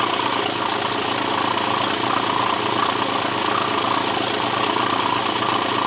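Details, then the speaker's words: BMW being repaired for a low oil pressure warning, run with the crankshaft pulley, drive belt and intake pipe off: steady but slightly lumpy, uneven idle with hiss. It sounds funky, possibly from the missing parts; no oil pressure warning on the dash. "Well, I mean, it sounds a bit funky. probably partly because there's no crankshaft pulley on and there's no intake pipe or anything,"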